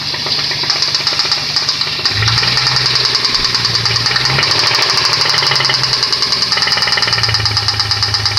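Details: Nissan VQ20DE engine at idle: a sharp, regular metallic knock rides over the idle and keeps pace with engine speed. Rod knock, possibly from more than one rod bearing.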